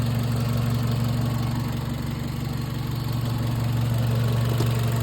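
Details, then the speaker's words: 1998 Honda Civic after crank-no-start fixed by repairing ECU ground wire: steady low hum, even beat, no misses or knocks; normal idle. "Yeah, this car running good."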